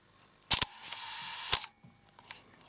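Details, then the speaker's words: Leica R6.2 35mm SLR film camera firing at a 1-second shutter speed: a sharp mirror-slap clack, a steady mechanical whir for about a second, then a crisp closing clack; a normal, healthy slow shutter. "Get a nice mechanical sound."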